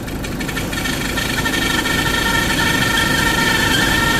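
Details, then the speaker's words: Isuzu D-Max 1.9 diesel with leaking injectors, knocking and white smoke, just restarted after repair, not revved; steady idle with faint high squeal and uneven clatter, abnormal noise, belt suspected, source not yet found. "เครื่องยนต์เดินนิ่งเอนะแต่มีเสียงแปลกปลอมขึ้นมานะครับ"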